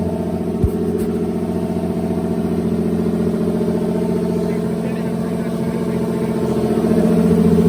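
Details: BMW E30 with swapped M52 24-valve turbo six on first start, running a new ECU; uneven, hunting idle with a wavering low rumble that sags and lifts; it died on throttle, air temperature sensor reading a false −16 °C.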